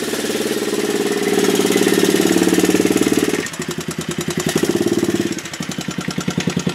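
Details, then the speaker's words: Honda chopper ridden after a cold start, unused for over a week: engine pulses about four per second with a dry rhythmic slap tracking road speed. Owner thinks the loose chain rubs inside the housing and needs a tensioner pulley. "that noise you're hearing I believe I got to get a uh pulley system or something to tighten this chain up down here a little bit cuz I think it's rubbing in inside the housing there somewhere"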